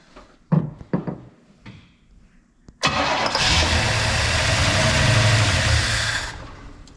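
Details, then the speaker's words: 1966 Pontiac Catalina parked 20 years in a field, restarted after a torque converter rubbing noise was traced by witness marks on the converter and its balance weight; after clicks it catches into an even, steady idle, no rattle or knock: normal idle. "beautiful no noise"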